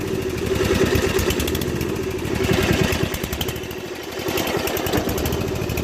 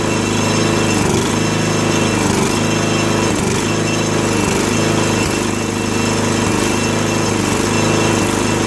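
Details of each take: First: 2001 Murray Select LT riding mower after a summer stored, at high throttle: beat stumbles and sags; it smokes heavily, leaks oil and stalls. Owner feared something blown; cause was a carburetor float needle stuck open from ethanol, gas diluting crankcase oil. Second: 2001 Murray Select LT riding mower after oil change and carburetor cleaning (float needle stuck open from ethanol, gas had flooded crankcase), run about three minutes: steady single-cylinder drone at slightly high idle, even firing, no stumbling or hunting; fixed.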